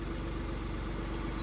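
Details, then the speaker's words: BMW 116d diesel at home after service, heard from outside; steady low idle with even clatter, no knocks or uneven beats; sounds much better than before the maintenance. "Bakın size dışarıdan sesini de duyurayım Dışarıdan ses de arkadaşlar özellikle önceki haline göre çok daha iyi durumda"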